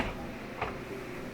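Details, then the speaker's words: KitchenAid dishwasher that doesn't clean and has no water mid-cycle; float lifted by hand, lower panel off, gives one crisp click in a quiet room, so the float switch works normally; the fill valve is still suspected and due for replacement. "so i'm checking this is the float you should be able to hear it click when you lift it up and down i could hear that click so that was good i think that one's fine"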